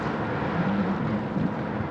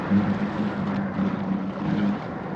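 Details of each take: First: Foil Drive electric foil-board motor with two-blade propeller, throttle dumped a little late as it pops out of the water: rough churning roar with wavering low hum from propeller cavitation. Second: Foil Drive electric hydrofoil motor, two-blade prop, submerged at 65–68% throttle into wind: even, steady drone with low hum near 200 Hz over water noise; normal quiet cruise.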